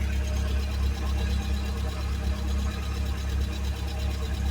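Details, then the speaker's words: 1979 Fiat after fitting a new fuel pump with a relay and a fuel pressure regulator, and sealing an oil leak: low, steady idle with an even pulse, no stumble or misfire after a clean start; no leaks found. "That was a beautiful start. Yeah, we're going to we're just going to remove that. But I would say we're pretty happy with that."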